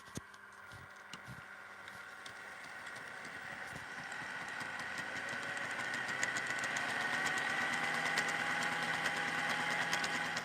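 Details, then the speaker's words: HO scale locomotive running on a layout: small motor whir with a rough, rapid clanking about three to four per second, rising in pitch with speed; wheel gauge was found at 15 mm, cause not confirmed. "I mean, I'm pretty sure you can hear that. It sounds disgusting."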